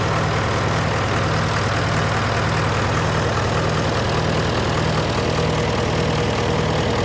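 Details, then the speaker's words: John Deere 401C diesel idling in neutral, with a cracked block and suspected liner O-ring leaks. Uneven, lumpy beat with a rough knock near two per second. By touch, cylinders 1–3 are hot but 4 is stone cold: a misfire. "this was me trying to tell you that that cylinder was cold so here we have that one's hot that one's hot to the touch number one number two is hot to the touch number three is hot to the touch three is not quite as hot as the others but four is Stone Cold"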